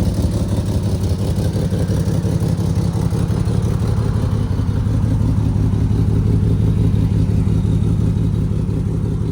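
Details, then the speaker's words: Alfa Romeo GTV with an exhaust far louder than it used to be: deep, loud, rasping drone pulsing as revs climb, pointing to blown flex pipes and a holed cat; exhaust leak. "We're also gonna try and see if we can figure out this exhaust leak that I have, because the car was never this loud. It sounds like an Italian NASCAR that's cammed with a V8."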